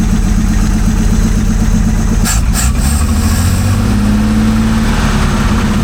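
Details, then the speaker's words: 1947 Chrysler old six, first start after decades sitting: uneven, lumpy idle with occasional skipped pulse, smoothing as revs rise. Misfire at idle; owner suspects one cylinder with very low compression. "Still a bit of a miss, but I think this has got, you know, there's some questionable compression on a couple of these cylinders."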